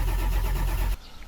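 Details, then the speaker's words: Ford F550 Powerstroke diesel: starter spins steadily about a second but never catches; leaking IPR valve lets high-pressure oil bypass, main oil pressure up but injection pressure only about 10 psi, so no start. "the main oil pressure came up but the injection pressure is only like 10 psi"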